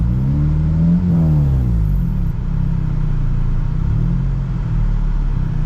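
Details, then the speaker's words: 2008 Honda Civic Si (K20Z3) running after a breakdown repair while the cooling system is bled: a loud, raw, deep boomy rumble with a quick rev, because the exhaust is disconnected. "Sorry, I can't speak right now, but I have heat coming through the vents and uh yeah, I got to connect this exhaust. It sounds like crap."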